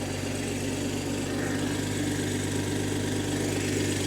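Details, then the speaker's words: 2023 BMW M240i salvaged from a wreck, first start on a jump box with distilled water in place of coolant: even, steady idle with a soft low hum and no knocks, ticks or misses, described as butter; normal healthy idle. "That's literally butter. What in the world? That's literally butter. That is so smooth."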